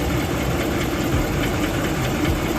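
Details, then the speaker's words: Used Dodge Charger/Challenger Scat Pack or Hellcat V8 at idle: light fast tick-tick-tick over the low rumble, occurring about every second, typical of a failing lifter. "um and then those lifters can get bad and you start hearing the tick tick tick tick"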